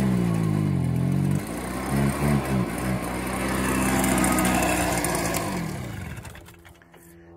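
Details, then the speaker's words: Like-new Stihl BR 380 backpack leaf blower, two-stroke, started on choke and nearly out of fuel: catches and settles into a steady buzzing run with even pitch, then winds down as it shuts off; normal running. "it it's a good blower again it is just almost bone-dry"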